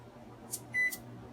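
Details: Sole elliptical after replacing handlebar incline/resistance button membrane, wiring flipped to fix reversed direction: one short console beep, then quiet incline drive hum about half a second later; up and down now working normally.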